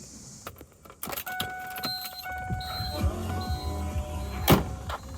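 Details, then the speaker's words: 2001 Hummer H1 diesel, fuel filter replacement, bleed valve on top cracked open, glow plug cycle running the lift pump: steady electric pump whine in short runs among clicks and handling noise as air purges; normal lift pump priming until fuel reaches the filter. "get a lip pump going to hear the air shooting out of there cycle it once more so yep there's fuel on the filter"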